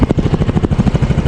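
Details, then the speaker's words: 2024 Yamaha Mio Gear 125 repo scooter with discharged battery: steady, even low pulsing about eleven beats a second, no knocks or ticks; engine idles very quietly and healthily. "Yan guys, tahimik na tahimik yung ating makina."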